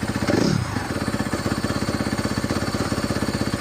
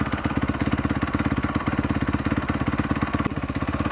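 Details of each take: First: 2017 Honda CRF250R started after storage with a fouled plug, earlier stalling with idle possibly set low: steady single-cylinder idle, about four even firing pulses a second, no misses, knocks or smoke. Normal idle. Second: 2017 Honda CRF250R after sitting in storage, low idle: quick uneven clicking about two beats a second, lumpy and near stalling; owner suspects auto decompressor engaging as engine spins too slowly, unconfirmed.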